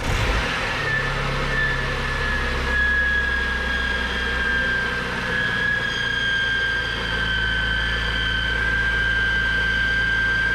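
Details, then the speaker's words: Cheap BMW E46 M3, first start, on a jumper pack with the oil just changed (it had been overfilled): a steady high whine over an uneven low idle; the owner suspects the accessories, source unclear. "okay so making quite a few noises it's uh probably the accessories just making a lot of lot of noise but wow it actually runs that's insane"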